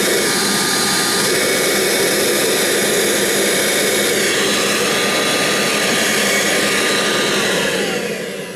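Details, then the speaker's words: Kirby Legend vacuum with no belt lifter fitted: steady loud motor roar with a faint thin whistle on top. Air is leaking where the belt lifter is missing. "here's the legend - you might hear a little bit of an air um leakage cuz there's no belt lifter on it"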